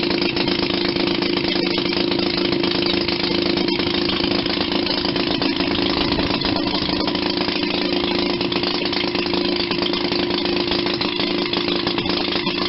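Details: 1940 Maytag model 72 twin-cylinder, air-cooled washing-machine gas engine, rebuilt with new rings and gaskets after being tight: steady, even popping beat at constant speed, no knocks or misfires. Normal idle.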